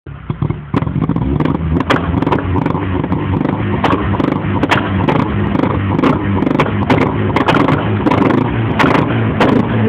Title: Astra GSi16v backfiring